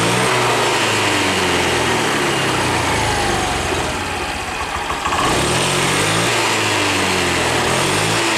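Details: 2020 Honda Beat scooter that lacked power and topped out at 60 km/h, after resetting the injection altitude mode; injector duration now holds 2.5–2.8. A small single-cylinder buzz at an even beat dips briefly, then holds steady with no stumbling: a healthy idle.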